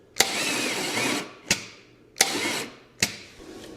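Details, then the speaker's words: 1969 Chevy 327 V8 cranked with the plugs in on small jumper cables, coil jumpered to check for spark: slow, uneven bursts about a second apart that die away. The battery and cables are too weak. "No good. Not good cranking. It started to go there for a second."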